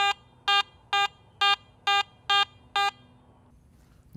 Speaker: If you are operating in the true all metal mode on the at Max you will hear all Targets as a proportional medium